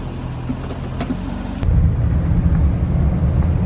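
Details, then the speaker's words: LS2-swapped C6 Corvette on first test drive, exhaust refitted: low, smooth, quiet V8 burble firming up as revs rise, no rattles, knocks or leaks; healthy running. "jeez it's so quiet okay I got to go down the road"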